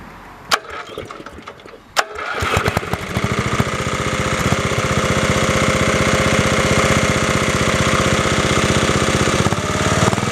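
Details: Refurbished Snapper 30083 rear-engine rider mower, about 15–20 hours of use this summer: starts after two cranks without booster cables and settles into a quick, even beat with no misses or knocks.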